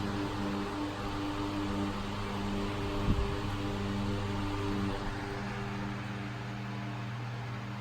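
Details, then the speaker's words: 1938 GE 12-inch oscillating fan (49X929), restored and rewired, first test run on low speed, non-oscillating: quiet, smooth motor hum with a steady low tone, next to no vibration, no rattle or scrape; runs healthy. "the Fan's quiet runs great smooth next to no vibration blades are in very very amazing and it sounds really nice too"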